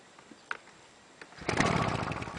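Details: Fire-damaged Victa Tilt-a-Cut two-stroke edger, primer bulb ticking normally, carb not cleaned: a few seconds quiet then it catches and runs with raspy steady buzz; owner thinks slightly too much oil in fuel; runs fine.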